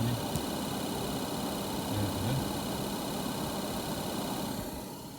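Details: GM Montana cabin AC blower fan under the dash, reached by removing the glovebox; debris such as leaves and soot had made it noisy. Steady, even air rush with no flutter or ticking, then a smooth spin-down: normal blower operation.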